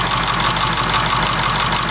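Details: 7.3 diesel swapped in for a 6.9 IDI on a 1989 International S1600, about 3/4 gallon of fuel run through so far, all working, no fuel bowl leak: steady even clatter at idle, no misses or odd knocks; healthy idle.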